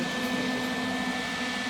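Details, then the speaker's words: Lincoln 180 amp MIG welder after fix: air freshener placed at the rear vent stops the high-pitched whistle, leaving an even airy fan rush over a low hum with no whistle; fan sounds normal. "now you can still hear fan working but he's saying that the the high pitch sound is off like no more"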